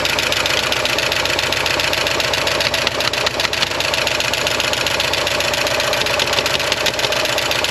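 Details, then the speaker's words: 1985.5 Porsche 944 non-turbo, first start after sitting long and being flooded, new reference sensors: fast light top-end ticking over slightly uneven idle, good oil pressure; lifters likely still pumping up. "We've got great oil pressure. It might just take a while for those lifters to pump up. She hasn't been running in quite a while."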